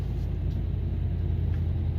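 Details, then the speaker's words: 2016 Dodge Ram 5.7 V8 after head and lifter job, just started with good oil pressure; deep steady idle with no stumble or misfire, only slight lifter noise as they fill, normal idle. "muy poquito suena suena los botadores o se oye que rápido se está se están cargando pero lo que me gusta es que no se siente que falla nada está parejita"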